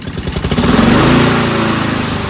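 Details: Toro push mower with a Honda engine, non-working self-propulsion: quick popping catch settling within a second into a steady, even single-cylinder drone; starts easily, runs normally.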